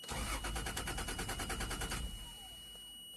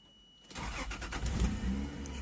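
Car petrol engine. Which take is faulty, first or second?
first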